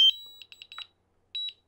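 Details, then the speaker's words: DJI Mavic Air controller after pressing return-to-home: a brief initial high chime then repeated quick high beeps continuing until the drone returns; pressing the button again or pause stops it. "another noise that the dji drone drones make is the return to home button and it sounds like this"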